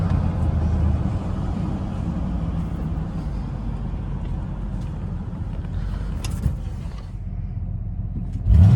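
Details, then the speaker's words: Cheap V8 truck: loud, rough idle, then revs, with a bad exhaust leak adding a raw, uneven note. "one more thing i forgot to mention you'll hear this the video coming up but it has a wicked exhaust leak so it fits right in with the rest of my junkers"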